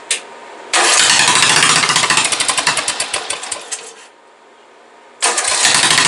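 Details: Briggs & Stratton 17.5 OHV single-cylinder mower engine with an oil-consumption history, just after valve adjustment, compression release working and spark confirmed: fires, surges unevenly with pops, dies and catches again; owner believes the carburetor is still starving it of fuel.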